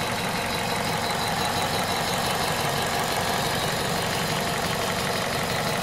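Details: VTi 120 engine at 98,500 km, hot: uneven ticking clatter of about three beats a second over a rough hum at idle, cause unknown. Abnormal engine noise when hot.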